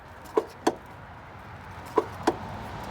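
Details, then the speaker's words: Lada Priora: sharp, hollow front knocks in pairs when throttle is added sharply on take-off, both forward and reverse. Traced to a worn front strut rod; the beam can knock similarly, but it is mainly the strut. "вот так вот стучит стойка Лады Приоры Когда при трогании и вперёд и назад резко добавляете газу идёт стук"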